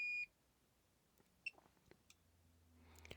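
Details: Aneng 626 multimeter in auto mode, calibrator lowered back to 0 volts: one short high-pitched beep of about a quarter second, then quiet; meter dropped back into resistance mode and sounded falsely.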